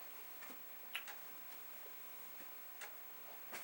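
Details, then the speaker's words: Commodore 1541 disk drive formatting a disk in a torture (burn-in) test: soft, light ticks at uneven intervals over near silence as the head steps normally. "So you can hear the head doing its thing. I think what we're going to do here is let this run through once."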